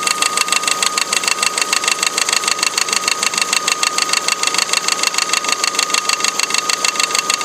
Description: Die Spannrolle vibriert sichtlich und schlägt gegen den Motorblock. Daher das Klappern.